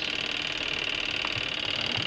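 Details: Old washing machine repaired and running again, with the main switch still to be fitted: a steady high whirring hum with an even tone and no grinding or knocking, as the motor runs smoothly.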